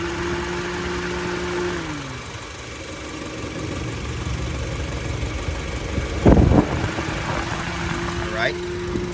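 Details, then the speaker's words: 2020 Honda HR-V at idle, A/C on: steady cooling-fan hum cuts out and returns after a few seconds, the single fan cycling because the other isn't working, possibly a bad fan motor or blown fuse; A/C still works. "that is a symptom of one fan not working well maybe a guy who come up to this car doesn't know that that fan motor is bad or maybe a fuse went out"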